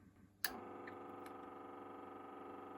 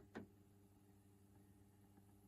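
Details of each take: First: Neostar NTCD1V CD/vinyl/cassette turntable, before the sewing-machine-oil fix: the belt-drive motor clicks on and runs with a loud, steady buzzing whine from a dry bearing; it gets even louder with the plastic belt-tensioner part fitted. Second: Neostar CD/vinyl/cassette turntable's belt-drive motor after sewing machine oil was dropped in: soft steady low hum after a brief knock, much quieter than before but still slightly noisy.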